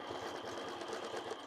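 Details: Quilting Big Tex through multiple fabric and stabilizer layers with thin monofilament thread: rapid even patter with small sharp pops each needle stroke; needle lubricant worn off, more needed to avoid skipped stitches.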